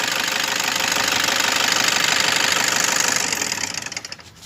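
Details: Toyota Innova V diesel idling: a fast, steady knocking rattle of about three beats a second that fades as it winds down, from a noisy A/C compressor bearing.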